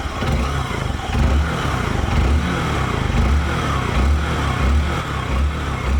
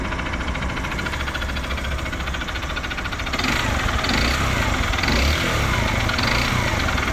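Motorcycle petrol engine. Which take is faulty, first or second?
second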